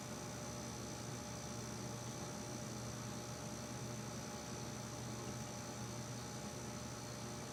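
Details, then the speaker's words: Home keezer/kegerator switched on: steady low electrical hum with faint tonal lines, no cycling or start clicks; compressor runs and gets very hot but unit doesn't cool; owner guesses compressor is dead. "so that's the sound it makes and uh it just doesn't cool"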